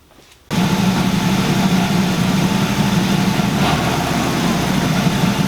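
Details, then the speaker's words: Camaro Z28 on third chip tune, raised rough idle with choppy uneven lope; vacuum gauge reads only about 40, owner fears dropping idle to 800 would leave no vacuum and lose power brakes; low vacuum suspected, unconfirmed. "even had a high idle my vacuum is not very high I'm only pulling 40 looks like"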